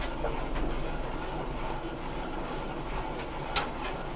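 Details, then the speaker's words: GE DDG7980GELWH dryer on timed cycle with a load of clothes: loose, uneven rumble with rubbing clicks and shaking, and an odd stop; worn drum glides, fixed with WE25X60 slide assembly kit. "we can definitely hear some rubbing and it's starting to to shake a little bit and it's uh a little interesting when we turn it off the the way that it stops"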